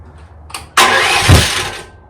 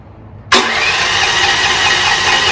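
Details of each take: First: 2024 Chinese stand-behind skid steer, about 60 hours, small engine. Short electric crank, then a brief roar that fades. Delayed start; owner unsure if switch or starter, suspects starter. Runs with choke, can be pull-started. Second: 2024 Chinese stand-behind skid steer with a starting delay issue, fuse replaced and choke used: cranks briefly, catches and runs steady and fairly even, then restarts cleanly. The small engine starts fine.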